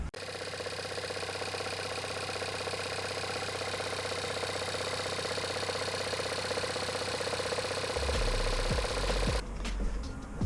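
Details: VW Golf GTE idling with a fast, busy metallic rattle-knock; the noise was eliminated by replacing the high-pressure fuel pump with a used one.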